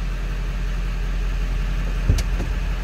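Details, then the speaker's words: 1997 Ford F350 Crew Cab diesel, 95,811 miles, started after glow plugs: low, even rumble at steady idle with no knocks, misses or rattles, no exhaust smoke. Normal diesel idle. "Diesel runs good, sounds good. Slip around to the back so you can hear this."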